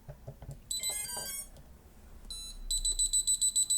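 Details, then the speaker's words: STM32 drone flight controller booted with switch SwA down and the throttle stick up: after the startup chime, fast shrill beeps repeat about six times a second. This is a safety warning and the motors do not spin. "Now, the high-frequency beep sounds repeatedly, and the motors are not being rotated."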